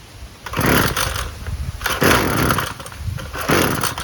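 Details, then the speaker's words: Husqvarna 128LD string trimmer after a carburetor replacement plus new spark plug, fuel filter and air filter, started on choke: catches and revs in crisp, even bursts, then runs well off choke; a healthy start. "That sounded good. Let's take it off choke. Maybe it needed to warm up a little more. Sounds good."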